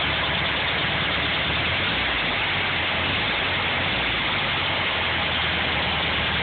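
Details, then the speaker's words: VW Beetle at idle, grinding that started that day: harsh, rough grinding rasp over a steady idle that does not let up; owner guesses the cooling fan, source unconfirmed. "but there's some strange grinding noise now that just started today so I'm going to start the car and I'm let you guys hear that and hopefully you can tell me what the issue is"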